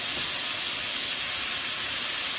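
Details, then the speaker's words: Brother Speedio machining center: steady airy hiss of compressed air refilling the machine's lines after the supply was shut off mid tool change, leaving the spindle/ATC stuck and the machine still showing an air pressure low alarm. "so we've turned the air back on we can hear it filling up in the machine here in the lines"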